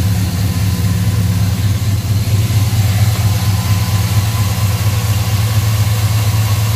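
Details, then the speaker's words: Pickup truck ("Black Pearl") after throttle body injection work with cleaned injectors, MAP vacuum line and idle control valve plug fixed: deep, steady V8-style idle, smooth and even with no misses or hunting. "she sounds good running good and you know what i noticed too is i don't"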